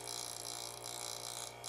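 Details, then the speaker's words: Coffee grinder during burr alignment test, slowly adjusted toward zero until chirp: steady motor hum with high scratchy chirp swelling and fading each turn; burrs rubbing on one side, badly misaligned. "You could tell how misaligned that was. You could hear it going. The chirping was way off, meaning these burrs are hella misaligned."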